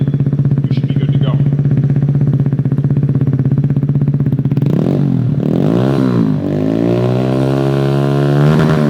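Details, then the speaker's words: 2017 Kawasaki Z125 Pro at idle after fitting a Hindle Evo Megaphone exhaust, gasket was a concern: exhaust blocked briefly to build back pressure, even idle and clean throttle blips, no whistle or hiss; exhaust gasket sealing well. "Bring a little back pressure. If that was leaking, you'd hear it whistling up there. So, I know I got a good seal."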